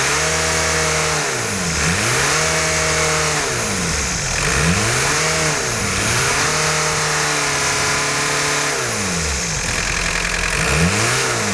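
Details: 1990 VW Golf MK2 GTD diesel, after new rocker gasket and hoses, free revving: revs rise and fall cleanly but no turbo whistle climbs with them; turbo not heard spooling, still a bit of smoke.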